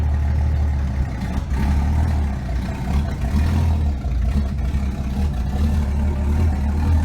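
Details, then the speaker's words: Green Hornet car after replacing exhaust collector gaskets to fix a ticking exhaust leak: deep even exhaust rumble through light revs, no ticking or puffing at the manifold; sealed, normal running after repair. "yeah let's see what she sounds like now sorry covering up the camera hopefully no exhaust Lake oh it's so much better no"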